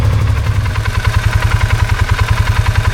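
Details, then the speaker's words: Polaris Sportsman 570 after about half an hour of running following a stator/voltage regulator harness connector repair: steady, even low thump at idle with regular firing, no knocks or misses; everything feels great, normal idle. "right, so this has been running for about a half hour now, and everything feels great."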